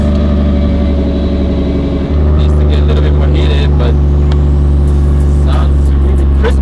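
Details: DAI33 Skyline GT-R SEMA build with GReddy 2.8L stroker crate engine, GP64R turbo kit, OS Giken sequential gearbox and Haltech electronics: catches about two seconds in, settles into deep steady even idle with crisp burble; healthy.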